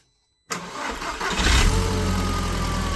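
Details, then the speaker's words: 2004 Audi TT Mk1 after a coolant leak repair: the coolant flange pipe was reattached to the block and topped up with G12 plus. Short crank, clean catch, a brief rise, then a steady even idle while coolant comes to pressure; normal start. "well so far so good we've got the car running as you can hear and uh we're just going to let it get to pressure"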